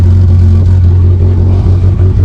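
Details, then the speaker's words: Renault Express (Extra) van, needs full service: deep loud raspy rumble while revving with blowing, chuffing edge; exhaust leak from known holes in the exhaust. "It needs a full service as you can probably hear. Sounds a bit meaty. It does need an exhaust. It's got holes in the exhaust."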